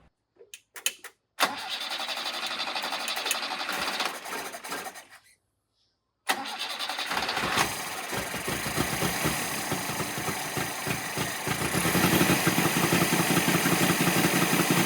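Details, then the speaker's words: 1975 Toyota KE30 Corolla 1.2-litre, barn find sitting for years, with a rebuilt swapped carburetor possibly wrong size for the engine: catches, runs rough a few seconds and dies, then refires unevenly; fuel mixture fault suspected, maybe flooding. "foreign about running really good first then dying in the ass it just went straight to the dying in the ass"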